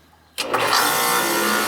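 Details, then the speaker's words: Four-year-old home AC scroll compressor, relay pushed in by hand: silence then sudden start into steady rushing hum; compressor runs but system is empty of refrigerant from a major leak, so it cannot cool. "The compressor's starting, but there's no freon in there, guy. It's not going to work like that."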